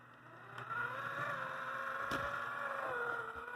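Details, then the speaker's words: AC Gilbert Alco diesel model locomotive after restoration, with lead weights and toolbox-liner sound damping added: quiet, steady motor hum with even whir and no clicks, creeping at slow yard speed; normal smooth running. "that's not bad that right there i'm i'm good with that sound and i'm gonna keep it at that and it sounds pretty good"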